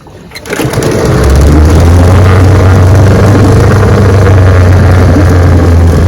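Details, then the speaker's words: Restored 1971 Evinrude 9.5 HP 9122R outboard, lake test run; fires on first pull and settles into a strong, steady, even run with no misses or knocks, reported idling perfectly and doing 17 mph; healthy outboard. "She's a beauty and she runs great, I'm telling you. 17 miles an hour, easy, starts right up, idles perfect."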